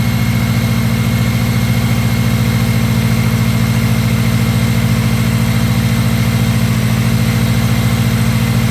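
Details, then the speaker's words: Seriously neglected, non-running Subaru Impreza WRX idling just after its first start, before warming up; smooth even low idle with a steady beat, no knocks, misses or hunting: normal idle. "well that's actually shocked me because that sounds sweet as enough"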